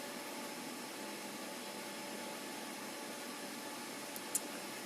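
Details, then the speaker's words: PC with Asus Prime X370 Pro during the 0612 BIOS update, GT610 graphics card: the Fantex CPU cooler's two Thermalright fans run flat out with a loud, steady airy whoosh and no rattle; normal. "Got the Fantex cooler on with 2 Thermalright fans, which is what you can hear making all the noise."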